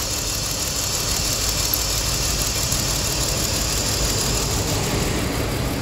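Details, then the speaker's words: 2003/2004 BMW X3 (EWS) at idle with code P0303: rough, uneven idle with faint irregular stumble, cylinder 3 misfire; coils already replaced, cylinder 3 injector shut down, no fuel going in, suspected wiring break, circuit or computer fault. "that's why the car is running bad now like this that injector is shut down there is no lubrication there no gas going in"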